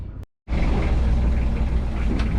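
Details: Yanmar 3YM30 diesel after service and fuel bleeding, no-start traced to not being in neutral (neutral safety): low steady clatter settling to an even idle after a brief cutout, no missing or knocking; running normally.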